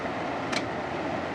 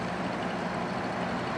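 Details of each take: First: Frigidaire air conditioner switched to high cool: only the steady rush of the fan, with no relay click and no compressor hum, because the compressor is not starting. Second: Air conditioner switched to cool on low fan: steady, even hum with constant airy rush and no knocks or rattles; compressor running smoothly, refrigerant heard flowing, cooling well.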